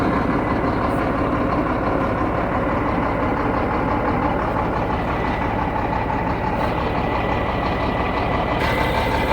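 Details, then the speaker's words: Shacman diesel tanker truck jacked up, one drive wheel lifted, driven in gear to locate noise: steady rough drone underneath; noise found in the rear differential, not the gearbox, differential to be opened. "ये सबसे आसान तरीका आवाज check करने का। भाई साहब इसके डिफेंसर में आवाज है।"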